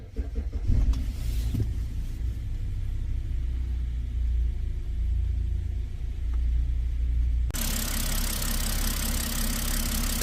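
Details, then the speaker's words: BMW 528i N20, misfire code P0303 on cylinder 3 confirmed by swapping coils 2 and 3; after replacing cylinder 3 ignition coil the engine idles smooth, even and quiet with no warning message; misfire gone. "소리도 조용합니다 자 정고 메시지가 뜨지 않습니다"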